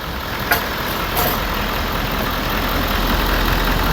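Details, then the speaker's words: 2013 Ford 6.7 Powerstroke diesel after exhaust manifold and turbo replacement for a squeal under heavy throttle: first start idles with steady clatter, even rhythm, faint turbo hiss, no misses or knocks; sounds healthy. "let's give it a shot awesome that's what I'm talking about she's alive sounds good too"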